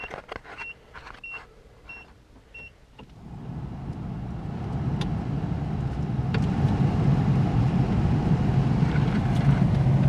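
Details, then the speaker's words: Project D21 heater blower after cleaning leaves and acorn debris from squirrel cage, cowl trim missing; fan spins up to steady even whoosh without rattle, sounds much better and blows out vents better. Normal blower operation. "There's some stuff in there, probably down the tubes, but it sounds a whole lot better. And it's blowing out these vents a whole lot better."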